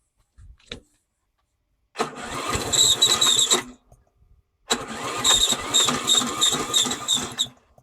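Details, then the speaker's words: Briggs & Stratton Yard King mower after carburetor rebuild and battery charger wiring: two starter attempts, each grinding about two seconds with no catch, slow laboured cranking; owner suspects the battery is done. "doesn't sound good maybe the batteries done let's try giving it a pull start"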